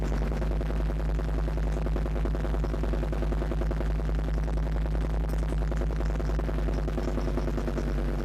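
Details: Land Rover Defender TD5 diesel idling after radiator work, mic near snorkel/intake; loose uneven knock about three per second, owner suspects exhaust manifold, most likely faulty hydraulic lifters; unconfirmed engine knock.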